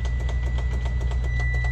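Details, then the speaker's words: Loaded freight truck that shut down after a quick shift from reverse to drive, shows neutral, pull start failed: sharp clicks about four a second over a deep rumble from a nearby engine, no cranking; suspected bad starter or solenoid. "He said the yard jack, he tried to pull start it. Sounds like a starter or a solenoid."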